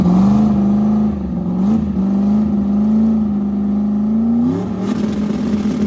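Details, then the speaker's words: Truck under hard acceleration: steady raspy drone with a brief pitch rise, more exhaust noise than ever; owner suspects a crack leaking exhaust, so no boost builds. "Well, I can hear more exhaust now than I ever could. So I'm sure if I got a crack somewhere. Because it's not building any boost."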